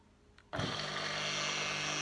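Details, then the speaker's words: Homemade belt grinder motor after disassembly and bearing work, first live test: switches on and settles into a steady, even whir with clean hum and no rumble or grinding; bearing noise gone. "Il n'y a plus de bruit de roulement."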